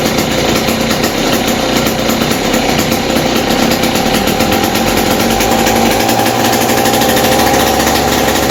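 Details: West Bend 580 two-stroke engine after cleaning carburetor and reed valves, new gaskets, no choke, mix screw 2 turns out: fast, steady, even idle with no hunting or misses; repair successful.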